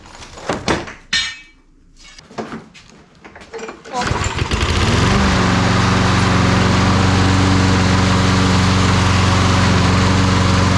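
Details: Toro Recycler mower after three years sitting, carburetor cleaned and new blade fitted, drive belt still worn: after handling noise it starts and settles into a steady, even drone with no misses or knocks; normal running.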